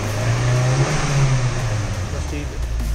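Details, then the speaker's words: Car after fuel pump replacement; any brief initial missing is put down to air in the system: engine revs up and settles smoothly with no stumble or hesitation; pulls correctly and the new fuel pump is working. "तो ये जनाब गाड़ी बिल्कुल सही खींच रही है इसका मतलब है फ्यूल पंप कम कर रहा है"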